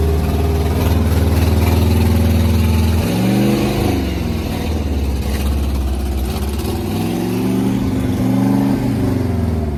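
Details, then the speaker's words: Abandoned seized 1980 International Scout II engine with rust in cylinders, first start after spinning it over: loud, uneven lumpy idle with revs rising and falling, smoking heavily as diesel put in the cylinders burns off; major ATF leak noted. "That's the diesel. That there, she's smoking a lot. You're gonna see another footage here that's the diesel burning off."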